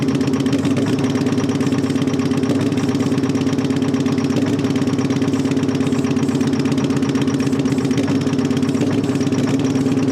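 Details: Terex 80-20 diesel after sitting 30 years: low-speed chugging with an uneven, lumpy beat over a steady drone while it blasts oil out; rough running, cause not evident.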